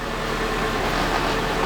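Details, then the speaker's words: 2008 Honda CR-V idling with the steering wheel turned: steady engine and tire rub, no whine from the power steering pump; check engine light on. "I'm not really hearing anything though."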